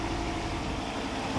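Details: 2017 Chevy Silverado V6, cold at about 160°, just after a new thermostat fixed P0128 and the fan running at full speed: steady, even idle with only a quiet fan whir and no fan roar; normal idle.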